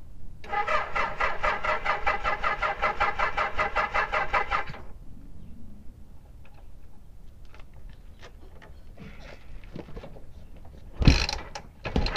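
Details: 1976 Kawasaki KZ900 four-cylinder, sat about 10 months, with fresh gas: about four seconds of rapid, even cranking, then quiet apart from handling clicks.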